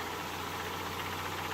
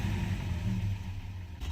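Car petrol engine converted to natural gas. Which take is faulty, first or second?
second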